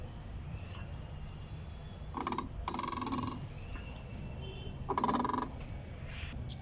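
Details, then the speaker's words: Skoda Octavia A5, some parts removed, steering wheel turned by hand: short squeaky creaking bursts each turn, caused by the magnet in the steering column rubbing; after replacing it the noise is gone. "y aquí tenemos al autor principal del ruido al girar la dirección pero el imán que tenemos aquí que ocasiona todo el ruido"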